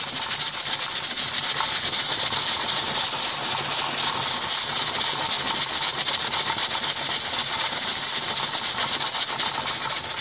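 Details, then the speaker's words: Stovetop pressure canner with 6 pint jars of beef roast and about 2 inches of water, venting steam for 10 minutes before the jiggler weight goes on (later 10 lb pressure): continuous steady hiss with faint jar rattle inside; normal venting. "But right now we're just timing the steam vent. But you can hear it coming out. You can hear the pint jars jiggling in there."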